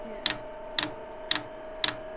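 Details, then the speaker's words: 5 kW all-in-one 12 V diesel heater on pump diesel, first start with unprimed fuel line: sharp evenly spaced ticks about twice a second over a faint hum as the dosing pump draws fuel up; should fire as pump speeds up. Normal priming. "right that's the pump just started kicking away to take some fuel up all right quickly so you might be able to see here fuel is starting to be drawn up i haven't actually pre-primed this"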